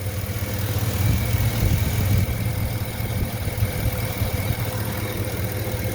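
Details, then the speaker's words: Chevy Suburban LS V8 idling warm after about 15 minutes following an AMSOIL Power Foam carbon cleaning, just before the oil drain; the truck had shown a low-oil-pressure alarm. Low, smooth, steady, quiet rumble with no ticks or knocks: normal idle. "this thing's been idling for about 15 minutes now after the power foam we're just getting ready to drain her down"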